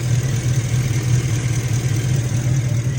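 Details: 2011 Ford Raptor V8, hot, after replacing a JB-Welded leaking radiator hose and bleeding the cooling system (overheating had been blamed on a head gasket), no more coolant leaks: smooth, even idle, steady low rumble, no knocks, ticks or hiss; healthy.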